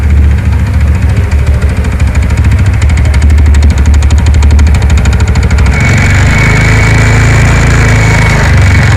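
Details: TVS NTORQ scooter engine at idle: rapid rattling tick about three per second over the idle, caused by a loose one-way clutch nut at the starter clutch; one-way clutch noise.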